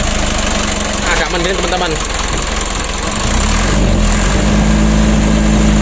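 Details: Mitsubishi 120 PS Ragasa diesel after fixing diesel contaminating engine oil (nozzles, injection pump plunger) and fresh 9 L oil change: after a short crank it settles into a steady, even idle with smooth hum; normal.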